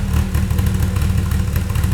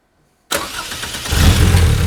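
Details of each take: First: Toyota 2.7L 1AR-FE in MR2 Spyder on Haltech Elite 1500 ECU, 280-degree cams, warm, idle target 1500 rpm, intake advanced 30 degrees: loud lumpy loping idle with choppy beat; rough idle from excessive valve overlap. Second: Toyota 2.7L 1AR-FE in MR2 Spyder, 280-degree cams, on Haltech Elite 1500 ECU after fixing 360-degree sync offset: starter catches within a second, then smooth even steady fast idle with no misses; normal idle, fully synchronized.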